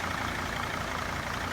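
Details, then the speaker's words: T1N Mercedes Sprinter diesel being worked on for EGR problems: even, steady idle running smoothly with no knocks or misses; engine works beautifully. "I still gotta clean up the engine a little bit because it's got some dust and whatnot, but it works beautifully."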